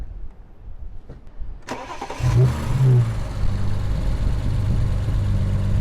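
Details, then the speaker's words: BMW 335i N54 after dual cone intake install: cranks, catches cleanly and settles into a smooth, steady idle with no odd noises. "Nothing too crazy I could hear on idle, but when you do drive, I feel like these make everything sound much better."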